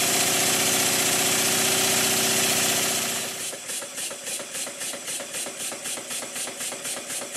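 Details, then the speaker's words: Rebuilt circa-1896 model steam engine on air, running down after being run fast and loaded by finger on the flywheel: hiss then about four sharp knocks a second as it slows; too-thin crank pin knocking, getting worse. "It's starting to knock a bit now. The crank pin's getting worse."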